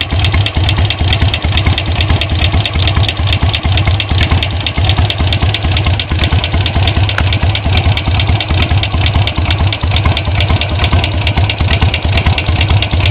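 Steady light tick, a bit over two per second, riding on top of the loping idle; the cause of the ticking is not yet known.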